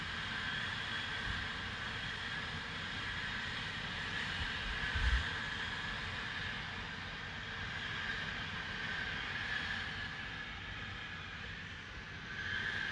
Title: 6th April 2021. 8.45am. mins of loud hissing noise from Spooner Industries in Ilkley.